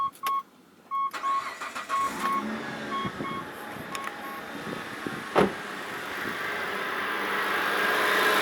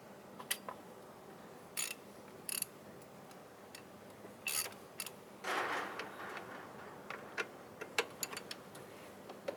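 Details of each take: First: Mitsubishi Pajero after replacing the idler pulley and refitting the fan belt: dashboard chimes, engine cranks, catches and settles into an even idle with no belt squeak. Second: Mitsubishi Pajero: the old idler pulley, with the belt loosened, is spun by hand and gives scattered clicks and short dry rasping whirs from a worn bearing. It is the suspected source of the engine noise and was replaced.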